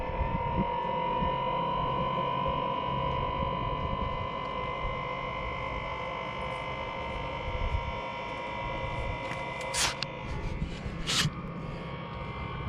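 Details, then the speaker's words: Chinese diesel heater, after fitting an exhaust silencer: steady fixed-pitch whining hum over even blower rush, only slightly quieter; owner suspects the motor bearing, not confirmed. "yeah well it seems like it's the bearing on the mortar i know it's quite a lot quieter well not a lot"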